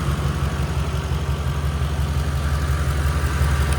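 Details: 2011 Ram 1500 5.7 Hemi 4x4 idling on a temporary jumper bypassing the failed fuel pump relay inside the TIPM, after two months of crank-no-start: low steady V8 idle, even pulse, no misses or knocks; normal idle.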